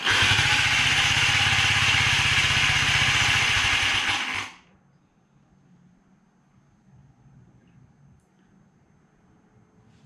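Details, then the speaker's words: Honda Z50 monkey bike engine started after 20 years sitting in a shed: harsh, high metallic clatter over a fast even beat for about four seconds, then the engine abruptly dies; cause unclear, side cover later removed to investigate. "So, after the C turn the cameras off, after the bike's making that noise on the startup,"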